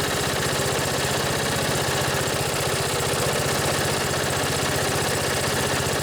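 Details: Briggs & Stratton twin on an older riding tractor, started after charging the battery: steady, even putter at idle with no knocks, skips or rattles; normal idle, though the upper-end RPM could use adjustment.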